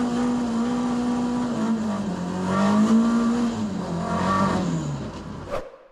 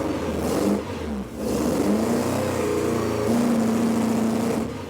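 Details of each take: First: ST170-powered Mk1 Escort after fixing two swapped HT leads that had it running on two cylinders: an even engine note that pulls away smoothly with no stumble or popping; it now runs and idles sweetly. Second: Ford ST170-engined Mk1 Escort four-cylinder after fitting the VVT pulley: lumpy, uneven beat that stumbles and wavers, still misfiring; later traced to two crossed HT plug leads leaving two cylinders dead.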